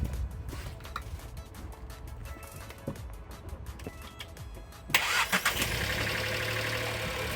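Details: Toyota Altezza jump-started with a TOPDON JS3000 jump pack: quiet stretch, then engine catches at once and settles into a steady idle under background music; starts cleanly.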